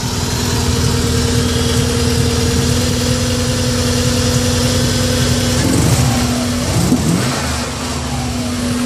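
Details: 1994 Subaru Impreza engine misfiring, uneven stumbling idle staying rough when revved then settling back; owner suspects coil pack or MAF, cause not confirmed.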